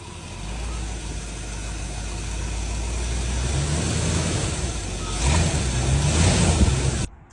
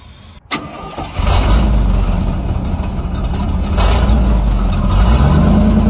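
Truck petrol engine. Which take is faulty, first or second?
first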